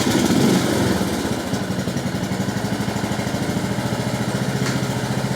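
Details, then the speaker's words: Brand-new engine in a Husqvarna LT1597/LT1538 ride-on lawn tractor with a rebuilt, TIG-welded exhaust muffler, hood off. Steady, even putter at low idle with a regular exhaust beat and no misses: normal idle. "mean how's that a brand new engine literally just sitting here and idling perfectly first off so there we have it pretty much it's just idling along there"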